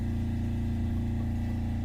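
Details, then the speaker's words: Diesel generator on a boat with battery charger on and the AC switched on as load: steady, even drone with no knocks, misses or surges; generator runs normally and holds speed. "Oh, there's the AC kicking on. Looks like it's stable."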